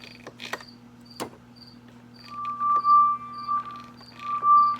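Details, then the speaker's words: Hammond organ drawbar after repair of its damaged resistance wire. Steady tones with clean stepped changes and brief clicks as the drawbar moves, no dropouts: normal drawbar operation with normal zipper noise. "normal zipper noise no more dropouts this one here is working"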